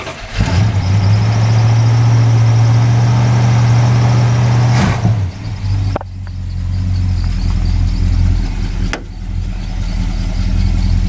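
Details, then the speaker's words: V8 being pulled for a 1964 Plymouth Barracuda / Lil Red Express engine swap: it catches right away and settles into a strong, even low rumble with no misses. A good running engine. "that's a good running engine on this car too"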